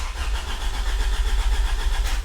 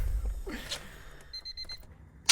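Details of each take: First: 1996 Honda Civic EK hatchback, B16 swap, first start attempt in neutral. Steady starter cranking with even compression pulses but no firing; the fuel pump never runs, later traced to the Honda main relay. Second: 1996 Honda Civic EK hatchback with swapped B16 engine, first start after the swap, possibly without idle adjustment: cranks briefly, fires up, then clean throttle blips rising and falling with steady idle between; engine starts and revs fine.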